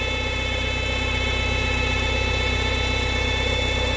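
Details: VW EA111 petrol engine idling after timing belt and tensioner replacement, with a steady high whirring hum over an even pulse. The strange noise came from the oil filter and was solved by replacing the filter.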